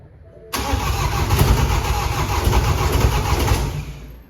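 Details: Previously flooded BMW F20 diesel, rebuilt after a crushed con rod and no compression, first start with fuel primed via injector ports, intercooler still wet and DPF not attached: catches right away, steady even clatter, running normally.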